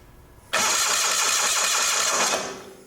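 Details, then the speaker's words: Old Simplicity garden tractor with Onan CCKA engine, before the fix: the starter cranks steadily with even compression pulses but the engine never catches; the spark test shows spark, so fuel delivery is suspected. "all right it's cranking over so let's check and see if it's got fire"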